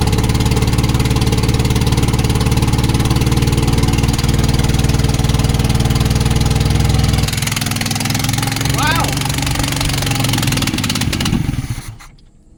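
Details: 1972 Volvo 145 four-cylinder after reconnecting missing plug wires: fast, slightly uneven idle on all 4 cylinders, then it stumbles and fades out; rough running from a major vacuum leak.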